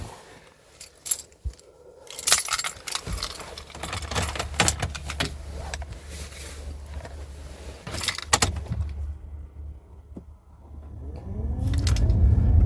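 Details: Chevy Blazer in freezing snow after sitting about a month, batteries still good: keys jingle, then the engine cranks briefly and catches, settling into a steady, rising run; a clean cold start.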